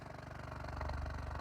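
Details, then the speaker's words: Stereo Integrity BM-11 shallow-mount subwoofer and an Alpine sub tested out of the box, unmounted, at about 24–25 Hz: deep rapid fluttering, helicopter-like pulses of air chuffing, expected without an enclosure; subwoofer chuffing at low frequency. "both of them are like most of the subs will have some chuffing happening because they're supposed to be mounted in the box so it's not really a surprise"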